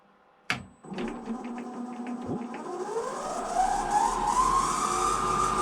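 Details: 1 kW 95 V three-phase brushless DC lathe motor, removed from the lathe, first run on an Invertek OptiDrive VFD in BLDC vector speed control: clean electric whine climbing steadily as the drive ramps, no knocks or grinding; motor and drive normal.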